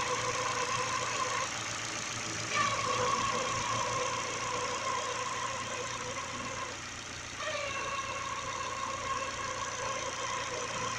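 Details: Engine idling evenly with a steady high-pitched whine and light rapid ticking, likely from the newly fitted Contitech timing belt making noise.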